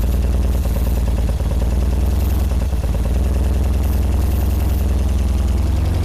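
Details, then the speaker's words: 1978 BMW R100S airhead boxer twin with new plugs, choke on, loud pipes: lumpy low idle with uneven beats and clatter, only one cylinder firing; left carb looks dry, its fuel passages blocked by gummy gas; Mikuni TM38 carbs need cleaning. "Now I'm wondering if I'm getting fuel to both. That one has got fuel. This guy's looking dry. Let's give it a whirl. Alright, I'm pretty sure that's only one cylinder on this side."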